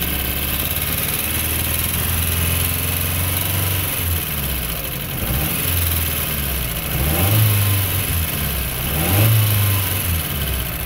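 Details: 1985 Toyota Starlet 1.0L 1E engine, all original parts: uneven, stumbling idle with irregular dips in the low thrum, then rough revs; engine misfire.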